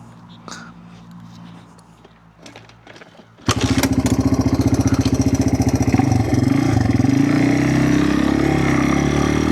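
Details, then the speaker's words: Honda XR200R on a slow roll in about fourth gear: the engine chugs, then revs climb but the bike barely gains speed. The clutch is slipping on glazed friction discs and plates. "Do a slow roll as you hear it's just chugging. We're in like fourth gear. You hear that? It revs up, but the bike really doesn't go."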